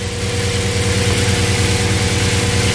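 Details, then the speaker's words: Audi S8 first start after intake work (intake manifold gasket, vacuum hoses, air filters refitted): starts first time, smooth even idle, steady low hum, no hiss or stumble; air leaks still to be checked; normal idle. "croiton ça va démarrer du premier coup nickeliss tourner tranquillement on sent que le bruit il a l'air plus ro on va vérifier qu'il y a pas de prise d'air quelque"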